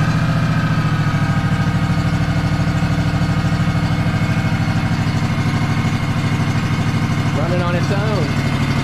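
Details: Free Craftsman DLT3000 lawn tractor with a Honda 16.5 twin, with a dirty air filter, started via a temporary piggyback solenoid: even, steady idle with no knocks or misses; normal idle.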